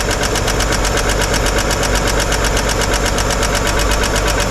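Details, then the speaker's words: 1955 Chevrolet 210 revived after long storage, valve cover off at idle: fast, fairly even ticking about two a second; a rear hydraulic lifter not getting oil and clattering, its pushrod not spinning properly. "one of these is very very very noisy hard to tell I need one of those stethoscopes"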